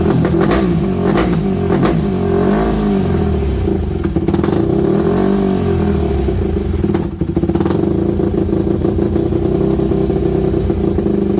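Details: Yamaha WR250 single-cylinder with good compression, just got running again: idle surges and dips with a few blips, speed wandering; carb needs rebuilding, owner unsure idle jet is fully unblocked, irregular idle.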